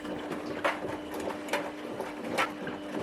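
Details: Washing machine running: steady hum with a rough, snore-like rasp about once a second.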